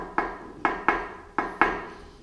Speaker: On entend quand même un bruit de métal.